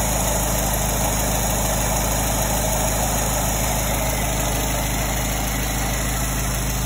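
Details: 1924 Ford Model T four-cylinder, first start after 22+ years, with the engine and transmission reinstalled during restoration; steady, even low rumble with no knocks or misses, idling smoothly and sounding healthy.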